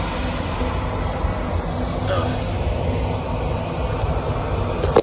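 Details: Oil-fired boiler that would not light because clogged filters restricted the oil, after all filters were replaced: a steady low roar with an even airy hiss and no sputtering or surging, indicating the flame holds normally.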